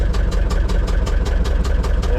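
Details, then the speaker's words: Gehl 6635 SXT II skid steer diesel, cold start needing throttle feathering, white smoke apparently from valve cover: low, uneven, labouring chug at idle; rough idle when cold. "looks like it'll idle for me but it's not happy about it yeah you can even hear it it sounds it sounds bad"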